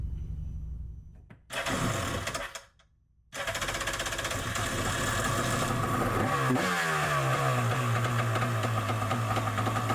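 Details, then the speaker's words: Yamaha Superjet stand-up jet ski after a rebuild to fix a rattle: brief crank, then a steady two-stroke buzz with a small rev and no rattle; it runs healthy. "No more noises. I think it's good."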